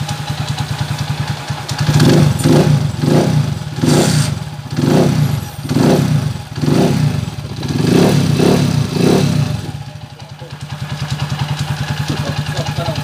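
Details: TMX155 motorcycle, after overhaul for rough first and third gear and a loose crankshaft bearing: steady low thumping idle, throttle blips rising and falling cleanly, no knocking or rattle; normal running.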